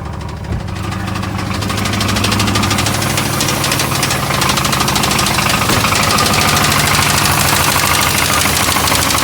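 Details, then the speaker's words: 1989 Chevy Caprice Classic V8 at idle: a steady, fairly regular knock about three per second over the engine, present every time it is started; source unknown. "what's going on, but every time started, it's knocking."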